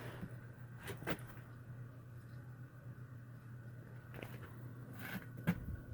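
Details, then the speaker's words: Hydronic hot-water baseboard heating system that heats upstairs but not downstairs; circulator pump running after the zone valve motor clicked. Steady low hum with a couple of valve clicks; normal circulator pump operation. "I don't know if it's that cold but you can hear it and it is pumping okay"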